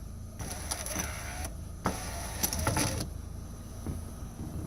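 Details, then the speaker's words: 2009 Hyundai Elantra left front power window, door panel off: motor whirs in bursts with a gritty crunching while the glass won't come down; the window regulator has failed and is being replaced. "all right so clearly this is not going to be an easy job because when you hit the window you hear it crunching but the regulator's not coming down"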